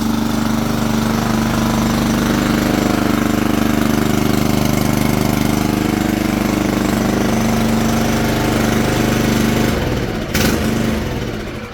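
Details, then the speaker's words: Toro 20383 Super Recycler mower, Toro-branded Loncin single-cylinder engine with auto choke, first pull after a twig jamming the choke flap open was found and the airbox refitted, fresh gas added. Starts instantly with a strong even putter at steady speed, no misses. "sounds great that was like it started before I even had pulled this"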